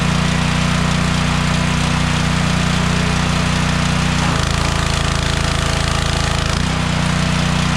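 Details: DeWalt 3400 psi pressure washer engine that kept shutting off after about 5 seconds, after bypassing the flow sensor: small engine thumps along steadily with no stumbling or cutting out, brief drop in tone under load; normal running.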